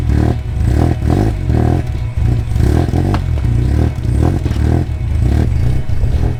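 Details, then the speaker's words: Fire-damaged car running on an ECU with an online base map being tweaked: rough, loud low rumble pulsing about twice a second but holding steady without stalling; running well. "it sounds sick oh that sounds so good good job said you're a genius"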